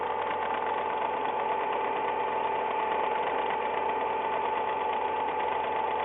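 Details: Nearly new Ford Ka, 10,100 km, first owner, recommended oil: light, quick tek-tek ticking about three a second evenly over the idle, only when the engine is cold, for six months; mechanics disagree on the cause.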